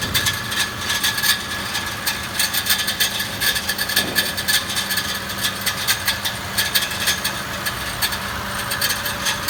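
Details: 2014 Mitsubishi Pajero Sport at idle: sharp metallic rattling and scraping clicks at uneven intervals, starting with the engine, rising with revs and briefly disappearing; one of six torque converter-to-flywheel bolts had unscrewed and was hit by the rotating flywheel.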